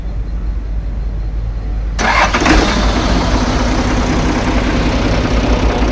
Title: porklift jac h100 10 tons,tcm 5tons tcm 2.5 tons issue hard start,won'start